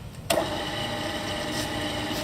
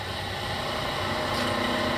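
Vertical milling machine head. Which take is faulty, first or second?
second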